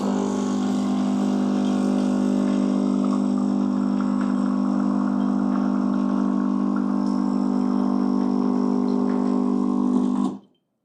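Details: Gemilai 3007L (first generation) espresso machine, pump run by the manual button for about ten seconds to measure flow, roughly 60 ml per 10 s (6 ml/s). A constant low buzzing hum with no sputter or pitch change, then a clean stop. Pump healthy.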